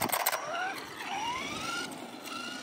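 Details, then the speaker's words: Traxxas Stampede 4x4 with Castle 1512 2650kv sensorless motor, Sidewinder 8th ESC on 4S: thin whine rises, stutters and restarts at low speed; sensorless brushless motor cogging, slipper clutch also too loose. "pretty coggy it's the uh non-censored motor for all"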